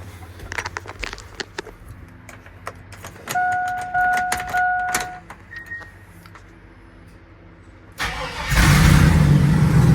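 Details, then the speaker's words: Twin-turbo LS V8 Silverado, first startup after exhaust install, with 1000cc injectors and turbo oil drains fitted: key-on chime, brief crank, then it catches at once into a loud, even rumble. Normal start and idle. "holy that sounds so good and it's not even that crazy like all also you just heard that first startup"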